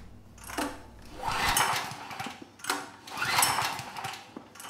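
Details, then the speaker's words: PowerStroke 6000 W generator, about 12 years old, stored outside with rusted debris-filled tank; fuel and ignition on; three slow recoil pulls, cord whirring, no firing; no-start from mud-contaminated carburetor, runs on starting fluid. "yeah we got absolutely no signs of life so i'm going to pull the air box cover off give it a bit of starting fluid and see if it comes to life"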